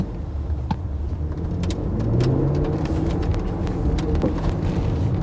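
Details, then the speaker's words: BMW X6 M Competition, owned one month, moving at crawling speed: low engine rumble with sharp rear-end clunks that occur almost every time, especially when shifting left into quiet exhaust mode. "it's doing it now almost every time listen for the clunks"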